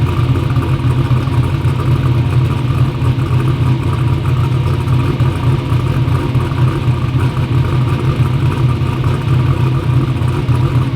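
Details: "Black Sheep" V8 race car at first fire-up after injector work; loud, deep, steady rumble with an even beat and no misses; runs good, though a front and rear seal oil leak is still to be fixed.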